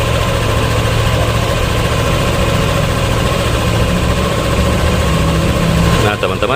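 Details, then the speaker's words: Yamaha Aerox 155 scooter CVT at idle, microphone held close to the CVT; smooth, even drone with no knocks, rattles or squeals. CVT healthy; age-related CVT noises usually appear most at idle. "bagian CVT sangatlah halus suaranya tidak ada suara yang aneh-aneh"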